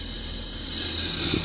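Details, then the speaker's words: Brake pedal pressed with engine running: loud steady hiss of escaping air over a low engine hum; the brake servo is leaking vacuum, which raises fuel consumption and idle rpm. "هذا السيرفو نتاع الفرامل كيفاش يطشطش، كي ننزلوا على الفرامل، اسمعوا"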